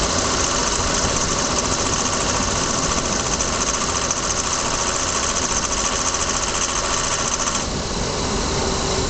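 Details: Lexus ES300, warm engine, low speed (gone above about 40 km/h), camera zip-tied at the washer fluid reservoir: fast metallic ticking rattle, three or four a second, from underneath; heat shield checked and fine, source unknown.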